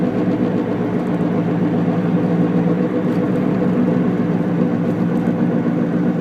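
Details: Car wheel hub bearing noise while driving: steady low droning "go-go-go" hum under road noise, holding as the car slows and clearest during deceleration in the latter part; worn hub bearing.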